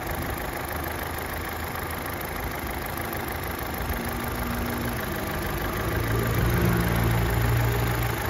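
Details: Opel Astra H sedan 1.6 petrol engine after a complete engine rebuild for broken piston and bent connecting rod, about 154,521 km: steady even idle, firm low hum, no knocks, ticks or shaking, mild speed rise near end; healthy.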